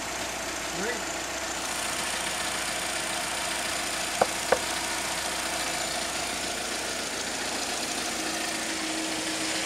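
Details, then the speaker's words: 2004 Chevrolet Malibu Classic idling just after a 700-mile oil change with conventional 5W-30, in freezing cold weather: even quiet idle with steady hum, no knocking or ticking, a couple of nearby clicks; engine running smoothly. "so now that the oil has changed and it's running good and it sound good"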